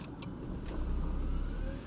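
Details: 2008 Ford Escape Hybrid with no-crank no-start, after jump-charging the high-voltage pack to about 335 volts: engine catches after a moment and settles into a steady, low, even hum; clean normal start.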